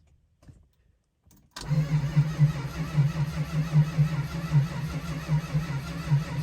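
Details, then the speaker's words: 1971 Dodge Charger R/T cold start after sitting over 4 months; its sensitive carburetor needs a rebuild. After a long pause it catches and runs lumpy, loping roughly once a second. The engine was flooded, and a carb rebuild and plugs are planned. "okay so as you can hear i finally got the charger to run that took forever it was really loaded up it did not want to start so i had to use a little persuasion but we got there finally"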